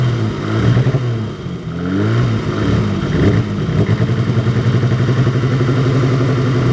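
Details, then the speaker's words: Cold idle on a BMW E30 with hard-starting and flooding issues: deep, uneven surging, stuttering, lumpy loping like a cammed engine; it smooths out under load when driving and goes away once fully warmed up; cause unknown. "Here it kind of sounds like it's surging a little. So if anybody knows what would cause that, it's like it's stuttering, like up, and like it's got a now it's loping. Sounds like it's got a cam in it."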